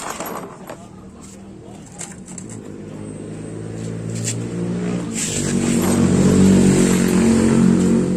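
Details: Honda Beat scooter after fixing a stiff kick starter: engine catches and runs evenly, building to a steady higher hum with a clean firing rhythm; running normally.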